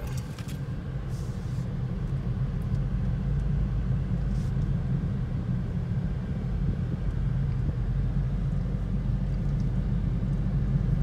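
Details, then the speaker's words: 2010 Toyota Prius driving after loose rear spoiler was fixed, tyres recently replaced: steady low drone under tyre rumble at road speed; cause unconfirmed, later believed a bad wheel bearing pending inspection. "It's like a drone sound. I don't know. It's definitely a droning noise."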